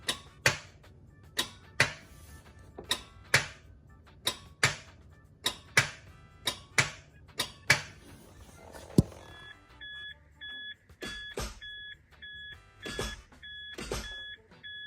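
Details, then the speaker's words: MK3 Toyota Supra 3 L 24-valve, click no start, often when hot or battery drained, with upgraded starter relay and new starter: sharp single clicks about once a second at kick panel and starter, no cranking; cause unconfirmed. "So, you can hear a click in the in the kick panel. Then you can also hear a very distinct click on the starter."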